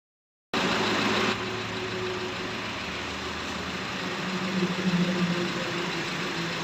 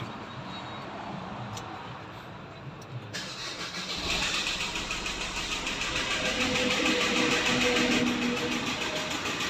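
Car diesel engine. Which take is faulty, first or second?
second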